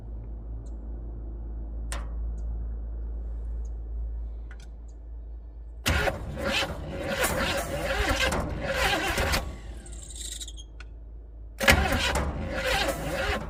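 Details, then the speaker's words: Rat rod 400 small-block Chevy sitting outside 13 years, cranking with gas poured in carb: long starter bursts with no firing; spark present but plugs fouled and wet; cranks but no start. "no she doesn't even seem to be trying let's check to make sure we still have spark"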